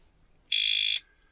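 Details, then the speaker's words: Motorcycle disc lock alarm, previously armed then removed and locked, gives one shrill, buzzy half-second electronic chirp; it had gone off unexpectedly while driving the van, causing the weird noise. "this is what it was it was this that had decided to go on obviously i'd had it on i'd taken it off um and it locks"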